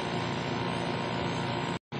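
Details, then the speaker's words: Carrier remote-control window-type air conditioner reported as not running. The compressor, wired directly to a separate plug, runs with a steady low hum and no knocks, is warm and frosts up, so it is judged OK. The fan motor bearing is to be replaced. "Yan ang kanyang compressor. 2.3. umaandar siya. Okay naman mainit siya."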